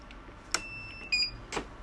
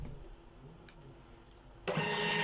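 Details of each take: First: Birch CPQ3 receipt printer running a test page at power-on: short snaps and a brief high whirring strain, then stopping, as the cutter motor strains against a jammed, bent blade; cutter jam. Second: Birch CPQ3 receipt printer after cutter repair (cutter metal part repositioned and reset); test print runs about 1.5 seconds of steady buzzing, then one crisp cutter snap; prints and cuts normally.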